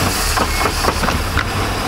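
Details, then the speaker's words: Rough shift into reverse on a 1999 Chaparral 1930 SS Mercruiser sterndrive at idle, temp at 150: dull clunks and the gear doesn't catch cleanly, sounding bad. Shift linkage is suspected but unconfirmed; it goes on the to-do list. "that's not good it's like it wasn't going in the gear sounded real bad"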